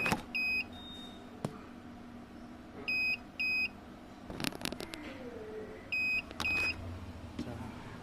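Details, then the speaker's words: Uwinfly N9 first-generation electric scooter (separate motor, not hub) with Nanjing Fardriver ND72360 controller, three years old: repeating pairs of short high beeps, stopping after brief riding; per manual double-beep means throttle error, handle being checked. "Bip dua kali. Pedal ininya error. Jadi tadinya mau jalan terus enggak mau terus enggak mau sama sekali harus dinyalain ulang."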